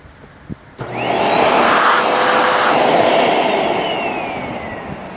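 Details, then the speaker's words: Hoover NanoLite vacuum cleaner motor after clearing a suspected clog: spins up quickly to a smooth, steady high whine without rattles or grinding; normal motor run. "know motor sounds relatively speaking okay"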